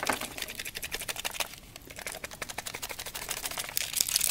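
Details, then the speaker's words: Cheap eBay Chinese camcorder shaken by hand: dry, maraca-like irregular rattle of two or three rice-sized loose plastic pieces tumbling inside the case. Broken internal plastic fragments. "Yeah, can you hear that? Sounds like a goddamn set of maracas. There's 2 or 3 little rice-sized pieces of plastic in there."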